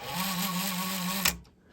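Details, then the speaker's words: 1980 Technics RS-M88 direct-drive cassette deck: steady motor whir with low hum, then a click and silence, reels never catch on rewind; worn idler prevents rewinding, though the just-cleaned, formerly dead switch now works. "It doesn't actually rewind or do anything, but uh we know why that is."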